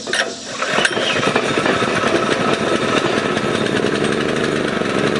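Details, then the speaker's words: New two-stroke engine for a Springer bike, not yet bolted down, started by a hand pull with the choke on; fast buzzy rattle holding steady unloaded revs, a bit rough and rich on choke but running fine: new engine running on choke. "i turned the choke on or the gas on the choke was on and i just grabbed to see how much resistance it was gonna have started pulling it [Music] and it started"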